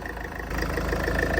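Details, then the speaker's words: Salvage Range Rover after front-end rebuild and new reset ECUs fitted, first start: even, low idle rumble with no knocks or misses, slightly loud at first then settling into a quiet, smooth idle like a brand new engine. "oh it sounds spawn s like a brand new engine wow it's actually really quiet"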